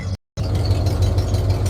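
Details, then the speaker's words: 1996 Ford F250 light duty, after fixing a bad misfire (P1351 code, incorrect ignition control module): low, steady idle rumble with an even beat and no skips. Misfire fixed, though a stored code remained before clearing. "when I do this it's steady so I think we got our myth fixed"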